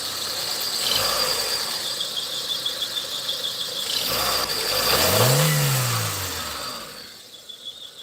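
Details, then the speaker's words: Proton Wira whose owner reports a mouse-like squeak whenever it is started: a high thin chirping squeal over the engine that rises and falls with revs. The squeal's source is unconfirmed; the mechanic links the sound to a rodent deterrent. "Dia kata kira waktu pagi ke, tengah hari ke, petang ke, andai kata dia start, dia ada mengeluarkan bunyi. Okey, contohnya bunyi macam ni. Okey, dia bunyi macam bunyi tikus."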